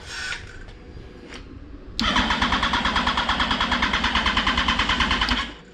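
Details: 2004 Yamaha R1 unstarted for over 10 years, after bridging two wires to try a start (injectors checked about two years earlier): strong, even cranking at about three compression beats a second for over three seconds, never firing; cranks but won't start.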